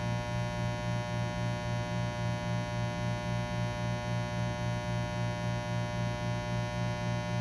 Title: Low buzzing/humming noise after pulling a shot - New open Refurb by Breville Bambino Plus